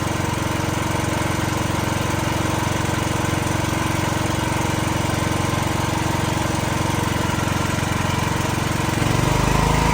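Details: Building backup generator, usually run in eco mode, during monthly testing with building transferred to it: steady, even single-cylinder drone, regular beat about three per second, no knocks or misses; normal running under load.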